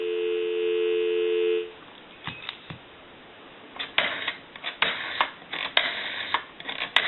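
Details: AE Monophone rotary desk telephone after repair, final checks; a steady dial tone, then irregular clicks and short pulses as the rotary dial runs; the telephone dials normally.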